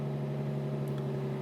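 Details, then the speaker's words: Low-compression turbo engine, cold start after removing a suspect dirty throttle body causing high idle: smooth, even drone at fast idle near 1300–1400 rpm; healthy, expected to drop toward about 1000 as it warms. "it idles a little bit high anyway when you're first starting the car because uh you know cold start and all that but let's see"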